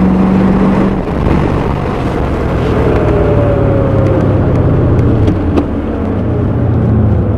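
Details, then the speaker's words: 1984 Corvette 4+3 on test drive, overdrive switched off, light acceleration, after earlier rough idle fixed with fuel injector cleaner: pulls cleanly with smooth pitch rise, shift without slips or clunks under road noise. Normal acceleration and downshift. "i'm gonna kick the overdrive off the overdrive off accelerate just a little bit car accelerates fine handles fine turns"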